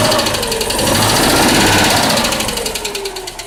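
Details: Citroën Dyane 6 air-cooled twin running with a fast, regular light tapping over the engine note that dies away as revs fall; engine noise of unconfirmed cause.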